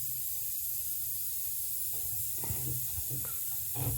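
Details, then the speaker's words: Old Worthington shop air system: steady high-pitched hiss under low shop hum, pressurised air escaping through a crack in the plastic air dryer housing just below the lip; later repaired with epoxy. "all right so we got leak down there something's leaking"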